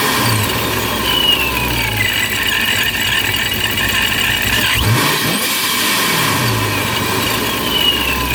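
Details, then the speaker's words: Procharger-supercharged 392 Dodge Scat Pack on a warm 81°F day: high-pitched whirring rasp over the idle, rising and falling with engine speed, unchanged from before; owner unsure, some call it normal. "So it still sounds about the same. I'm not really sure what's going on with it. Some people say it's normal, some people"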